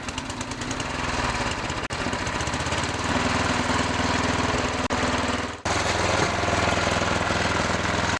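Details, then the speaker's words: Murray/Noma/Craftsman snowblower after friction disc replacement, in snow: small engine chugs steadily, briefly dipping under load while wheels are held spinning, then recovering at once; drive works well. "so the drive works really good now what I was doing there is testing just how good the drive is by holding the blower and making the wheel spin"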